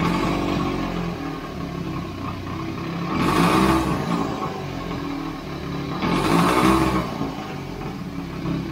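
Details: 1929 Scott Flying Squirrel twin two-stroke, first start after restoration: uneven burble at a fast idle, then two short blips that rev cleanly; normal running.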